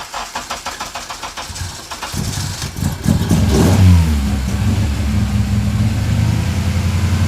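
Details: Honda K24A4 (Accord engine) in budget EG K-swap, just fitted with 50-degree VTC cam gear: cranks and catches with uneven, stumbling pulses, then lumpy, unsteady idle like a misfire; owner suspects a stuck injector after sitting a while.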